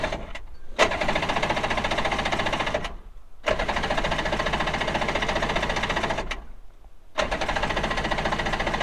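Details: Two-stroke premix jon boat outboard sitting three years, carburetors rebuilt, cold day, choked and primed: three bursts of quick, even starter chatter, never firing; owner then finds it flooded. Cranking, no start.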